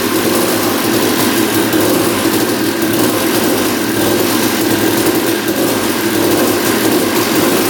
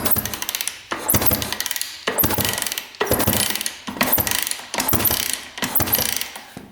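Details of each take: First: 1989 Honda CR250 two-stroke that had been sitting, first start after carb cleaning: buzzing fast idle with a light metallic rattle from the lower end; engine seen moving in frame, loose engine mounts suspected, not confirmed. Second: 1989 Honda CR250 two-stroke dirt bike that had been sitting, crank turned by hand before a compression test: slow even whirring strokes about once a second, no ticking or knocking, spins smoothly.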